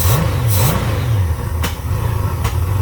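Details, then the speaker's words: Honda Goldwing GL1500 with rebuilt carburetors, running without the air cleaner after a vacuum leak search, cold day, one adjustment screw set to 1.5 turns out; revs with a couple of sharp pops, backfire suspected from running slightly rich or lean. "still got a little bit of backfire there but we'll figure that out it's just running a little rich or a little lean"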